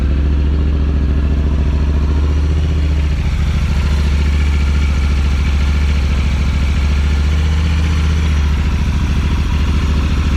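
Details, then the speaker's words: Talon engine with fresh spark plugs and injectors, airbox off: deep, steady, even idle with no misses, knocks or stumbles; sounds a lot happier, normal idle. "Sounds a lot happier."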